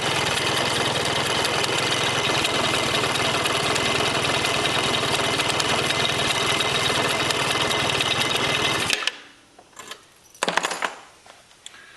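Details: A 2004 Yamaha Zuma 50 after the starter clutch/belt-drive conical washer work-around repair: the small single-cylinder engine runs steadily for about nine seconds with an even, rapid beat, then shuts off. It sounds healthy.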